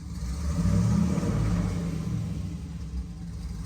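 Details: Jeep back from the tuner, misfire fixed after reattaching a loose spark plug wire: climbs smoothly under light throttle and settles back without stumbling, deep even rumble; revving cleanly.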